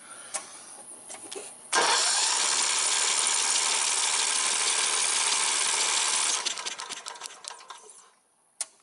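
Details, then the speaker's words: Briggs & Stratton single-cylinder 14.5 hp overhead-valve mower engine with good spark, choke off: steady cranking about three turns a second for five seconds with no pop or catch; fouled spark plug found. "it ain't trying to hit for nothing I suspect the spark plug is fouled out"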